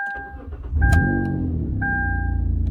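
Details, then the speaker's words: 2012 Kia Rondo that cranked but wouldn't start on the key, only via aftermarket remote start, after the key fob case was replaced without transferring the transponder; after refitting the transponder, chimes, a short crank, then the engine fires and settles to a steady idle: normal start. "that little transponder lives in there. That little piece of plastic needed to be transferred into the new case, and whoever did the transfer didn't know that, or didn't realize that, or missed it."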